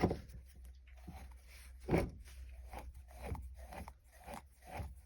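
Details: VW Jetta 6 windscreen wiper linkage: dry, gritty scrapes and clicks with each slow swing, roughly every two seconds. The linkage bearing is broken and hums. Worn wiper linkage bearing.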